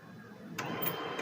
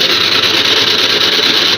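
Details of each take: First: HP P1566 laser printer after replacing the worn motor drive gear that caused rattling: soft, even whir of the gear train with a few light clicks and no rattle; drive now runs smoothly, normal. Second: HP LaserJet printer (P1566) powered on: harsh, high rattling grind runs steady then cuts off cleanly; worn or broken drive gear, motor-driven gear on the right side worn down over long use.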